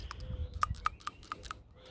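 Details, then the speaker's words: 2004 Subaru Impreza WRX PCV valve, removed and cleaned with brake cleaner, is shaken by hand and gives crisp, light plastic clicks; it rattles freely as it should after having been sticking. "So just going to work that back and forth, and now you can hear it. That's how it should be functioning."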